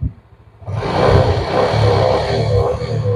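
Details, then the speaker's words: Yamaha Jupiter Z motorcycle, kick-started because the electric starter is dead, revving with a rough rattly clatter that grows louder with throttle; smokes heavily and burns oil within two weeks, piston replacement advised. "suara seperti itu ketika ditarik gas seperti ini semakin keras kita menarik gas suara pederiknya semakin keras juga jadi tambah berisik mesinnya"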